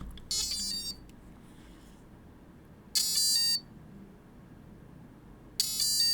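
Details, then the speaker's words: AM32-firmware ESC for a combat robot, signal cable unplugged from the receiver (or receiver unpowered): short bursts of high beeps about every 2.5 seconds; no-signal beep code, arming tones follow once the signal is connected. "troller, but there is not a signal reaching the speed controller. The signal cable is completely unplugged from your receiver."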